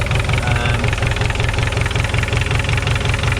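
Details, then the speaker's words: Volkswagen Scirocco after an engine swap, idling: steady idle with a hard regular knock two to three times a second, sounds diesel-like; internal engine knock, cause unknown, owner noted a lot of silicone around the sump. "It sounds like a diesel. It does sound quite knocky."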